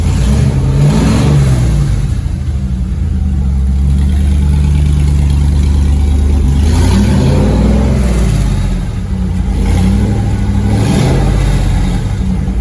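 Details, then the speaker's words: Car prepped for LS Fest, new Flowmaster U-fit stainless dual exhaust with Hooker Blackheart mufflers and electric cutouts, cutout open, first fire-up on phone mic: deep V8 rumble, smooth clean throttle blips, no knocks or rattles; normal revving. "Whoa. It's a good low rumble. Oh, he can't hit the gas, can he? I'm sure my phone is probably cutting out part of the sound. That does sound good."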